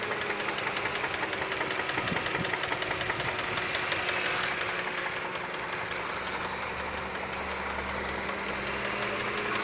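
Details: 2008 Hyundai Sonata, hood open at idle: steady sharp clicking about 160 per minute over smooth idle; code P0011 present, cause unknown.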